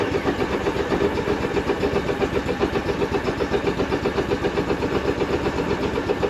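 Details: Argo Avenger EFI after fuel pump and filter replacement: even steady idle with smooth regular pulse around four per second, no misses or knocks; engine runs clean.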